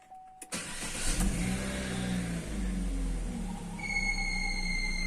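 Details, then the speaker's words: Chevrolet Cruze whistling under the hood at highway speed, torn intake bellows found: right after start-up a steady high whistle over idle, like a slipping alternator or power-steering belt. "Вот и сразу же мы слышим звук. Звук очень похож на ремень генератора, либо ремень ГУРа."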